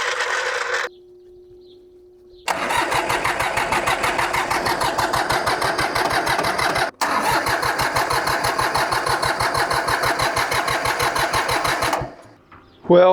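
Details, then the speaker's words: Small diesel mini tractor, likely unstarted since winter, after front tire replacement: steady starter cranking about three compressions a second for ten seconds, twice, never fires or catches; cause of no-start unknown. "I've tried to get this thing started and I'm not having any luck."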